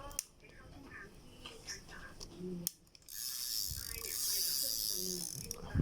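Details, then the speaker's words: Daiwa Sprinter ST3000X spinning reel, handle turned by hand: light even clicking and whirring with no grinding or catching; reel runs smoothly and normally. "แขนยังสวยครับแขนก็หมุนลื่นแขนได้ปกตินะ"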